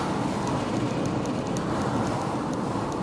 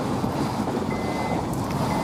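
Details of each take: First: 2008 Honda CR-V test drive after rear brake pad replacement, mic at rear: steady road and tyre hum, no grinding while braking; grinding was caused by very worn rear pads, now fixed. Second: 2008 Honda CR-V rear brake: a harsh, steady grinding scrape with a faint squeal as the pad rubs metal on the rotor, intermittent rather than constant; fixed by rear pad replacement.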